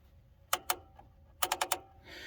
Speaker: um obviously the keepers are in and a little piece down here that goes against the tensioner is in which you can hear the star wheel does move